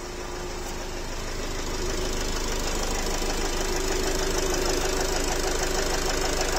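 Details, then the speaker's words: Nissan X-Trail 2.0 dCi diesel at idle: sharp regular tapping about three per second, smell of unburnt diesel, feels like piston slap (suspected), sound vanished after revving; engine knock. "Появился этот звук. Та-та-та. Такое впечатление, что поршень лупит."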